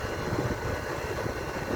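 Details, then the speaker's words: Vitalex blender motor after repair: steady, even hum with no rubbing, scraping or knocking, once the stator tie bolts were adjusted to center the armature shaft; before, it was noisy and tripping its thermal protector. "centralize o motor tá ó já tá em centro e eu vou ligar ele para você aqui já tá funcionando"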